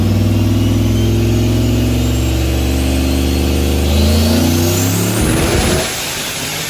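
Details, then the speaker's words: Turbo Dakota R/T on dyno, about 19–19.5 psi boost, around 660 whp: deep steady roar holding high revs under full load with no misses or breakup, then throttle lift and wind-down; dyno hum present. Healthy full-load pull. "Well, it didn't blow up, knock on wood. Right around 660. It's probably on 19 or 20 pounds of boost, maybe."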